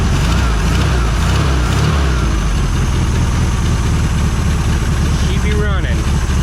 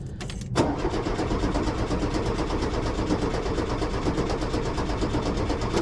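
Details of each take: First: 1973 VW Super Beetle air-cooled engine, still a little cold, just restarted after running badly and stopping: steady, even low putter with a smooth regular beat and no knocks or misses, a normal idle. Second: 1973 VW Super Beetle that died while driving: strong even cranking for several seconds with no firing, battery good; no fuel reaching carb, aftermarket fuel pump not pumping.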